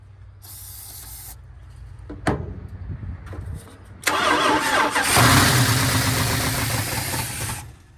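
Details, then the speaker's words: 1970 Dodge D100 383 big block, sat 30+ years, first start after carb cleaned and bowl filled through the vent: catches, then quick light ticking over rough idle; noisy lifters though oil is full. "Them lifters are noisy. Oil's full."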